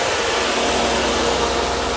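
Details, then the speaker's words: 1992 Mercedes 300E W124, M103 engine, intermittent overheating in heat waves; auxiliary cooling fan run at high speed via added manual switch, engine running; constant loud rushing whoosh, no pitch change, rattle or scrape; normal high-speed fan operation. "some people never hear their highspeed fans here how loud that is"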